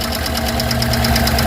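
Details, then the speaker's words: 2009 Chevrolet Tahoe 5.3 L V8 just after engine rebuild, first start without water pump and alternator: sharp light ticking about nine a second at idle from valve lifters on one bank; expected to clear with running. "Valve lifter से अभी भी कुछ rocker जैसी आवाज आ रही है। इसे चलाने के बाद यह समस्या दूर हो जाएगी।"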